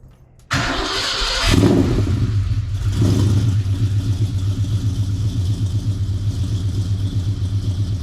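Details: Foxbody Mustang V8 on the factory computer; it cranks, catches right away and flares, then settles into an even, lumpy idle with no knocks or misses. Normal start-up and idle.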